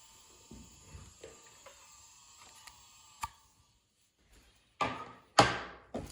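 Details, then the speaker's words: Hitachi 2.5-inch IDE hard drive made July 2001 from an HP Pavilion N5445 laptop: thin steady high spindle whine under handling knocks; bearings possibly wearing out. "And it's probably because bearings may be wearing out, but let's take a listen to this. Okay, as a side, here you go. So at this distance, It's not the worst. The older hard drives are even louder than this. But that's the spinning speed."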